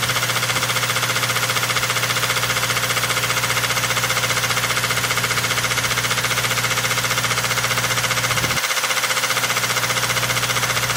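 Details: Idling engine with a steady, regular knock of about two or three raps a second; gear oil added to thicken the oil confirms it is a bad bearing, rod knock.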